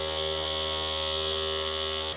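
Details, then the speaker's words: Newly custom water-cooled PC filling its loop, pump on a Molex plug; a loud, constant droning buzz while the loop runs; vibration first thought to come from the motherboard, later traced to a loose fan and an unsecured pump base. "A lot of the vibration is like coming from our motherboard."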